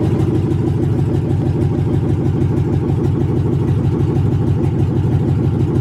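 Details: 1980 Chevy C20 with a swapped 4.8L LS V8, first fire-up after the swap: loud open-pipe idle with a deep, even pulse of around three beats a second. Steady and smooth; it runs healthy and started as it was supposed to.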